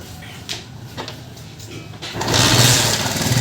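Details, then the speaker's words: Motorcycle after the main cushion gear was replaced to cure a gear noise: small single settles into an even putter in gear with no gear whine or rattle; engine now OK, slight remaining noise attributed to tappet. "आप check कर सकते हैं इसमें आवाज़ वगैरह बिल्कुल नहीं है, बिल्कुल इंजन ओके हो गया है"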